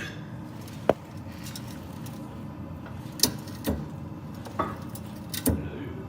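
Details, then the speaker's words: Car coilover suspension: five irregular sharp clunks and pops in six seconds over a low rumble, caused by the spring binding on its seat. "Do your coilovers make this annoying clunking sound?"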